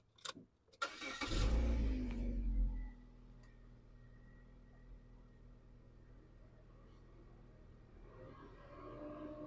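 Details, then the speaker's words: Vauxhall Astra, about 2012, engine management light complaint, code P00B3: short crank, starts, cooling fan runs steadily right away at idle with no heating or aircon on; faulty radiator coolant temperature sensor, fixed by replacing sensor. "however straightly I identify you can hear fan going on however I'm going to open the bonnet inside hole of no heating or no aircon on"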